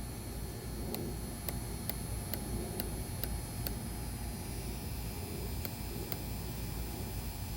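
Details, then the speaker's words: Fuel injector on a test bench at about 45 psi, lag test starting at 700 microseconds: crisp evenly spaced clicks about twice a second over a low hum as it begins opening; normal injector ticking. "Now the lag test, we start with 700 microseconds and keep going until we start to see it leak. There's 1 point. I can start to hear it trying to open."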